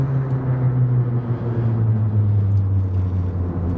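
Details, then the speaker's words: 2004 Ford F-150 V8 with rough running when warm, after cam phaser diagnosis and custom HP Tuners calibration (phasers to be locked out): fully warmed up after long idling, deep steady even rumble with no misses, ticks or surging; normal idle. "is running smooth it's been sitting there idling the whole entire time it's more than warm enough to do what it did before"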